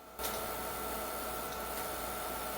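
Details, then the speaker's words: PowerMac 7500 after its motherboard was washed: a thin buzzing hiss with a faint high whine comes from the speaker while the mouse is moved, then stops. Owner suspects a voltage regulator issue. "it goes again it's very possible that there's an issue with some kind of voltage regulator"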